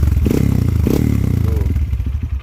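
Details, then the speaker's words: Honda CRF motorcycle bored up to 200cc with 66mm standard piston, one year on the build, revved: deep, soft, bassy note with a rapid even firing pulse, rising and falling cleanly, no knocks or rattles; normal revving exhaust note. "untuk kalau bore up itu suaranya pasti lebih ngebas terus digeber tuh lebih kayak cepet gitu apalagi dipakein knalpot kalah performance Hero ya guys ya jadi Suaranya kayak adem empuk ngebas enak digeber ngeblur juga"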